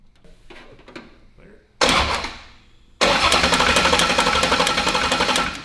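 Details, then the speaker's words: Ford Coyote V8 swapped into a Fox-body, no-start: steady cranking at about four beats a second with a sharp ticking over it; crew suspects timing chain or timing issue, unconfirmed. "It goes with that. It's just that chain, right? It goes with that Yeah, it up goes and with the down. chain going in and out. Sounds."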